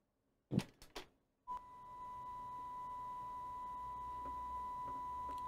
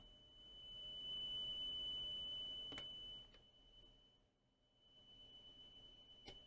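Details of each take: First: Coomber 393 language-teaching cassette recorder before speed adjustment, playing 1 kHz test tape: clean steady tone measured about 993 Hz without wavering; speed close, slightly slow, head not fully aligned. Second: Coomber 393 language-teaching cassette recorder bought as not working. A test tape plays a high-frequency tone while the head azimuth screw is turned, and the tone swells and fades: azimuth adjusted for peak treble output.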